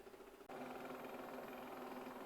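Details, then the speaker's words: Shark IQ AI robot vacuum RV2001DRUS after removing and cleaning the roller brush for error 2 obstruction: soft steady whirring hum with faint tonal buzz, louder than before, improving with cleaning, absent on carpet; owner suspects added lubrication or bearings. "that noise is getting better as it keeps cleaning i've kind of cycled it through you know the eco the normal and the turbo mode it doesn't make it at all on the carpet"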